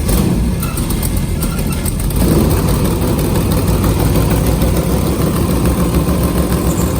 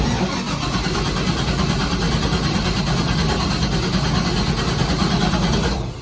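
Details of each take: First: LS3 V8 airboat engine after a new gasket and spark plugs: deep, even idle with a steady low rumble and no misses, knocks or stumbles; running smoothly. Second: LS3 V8 airboat engine, with a pop and backfire heard from the passenger side: it catches and holds a loud, lumpy, uneven idle that never smooths out. It is running much worse than before, consistent with one dead cylinder.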